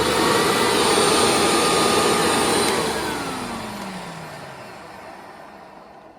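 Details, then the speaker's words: Hoover Windtunnel Widepath upright vacuum after the brush roller bearing was replaced: steady, even motor whine with airflow and no grinding, then a smooth falling wind-down. It runs much smoother than before; a slight motor bearing noise is possible but unconfirmed. "yep definitely a lot better than it was before because the bearing was so screwed up it did a lot of grinding and wearing and all that kind of stuff"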